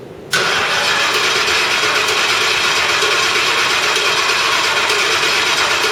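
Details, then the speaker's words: Ford Crown Victoria after full engine rebuild, ECU fuse pulled: steady, even starter drone with no firing, cranking the engine to prime and circulate oil before the first start. "right now we've got the uh the the computer fuse pulled so it won't actually start so you think or so we think yeah um what we're going to do is we're going to rotate a whole bunch of oil through the engine from just little the starter"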